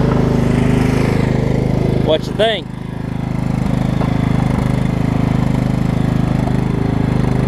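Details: Over-20-year-old Craftsman riding mower, Kohler Command engine, on a test cycle after the wrongly fitted deck belt that locked the engine was refitted: even, steady thrum near four pulses a second with a brief handling squeak; normal running.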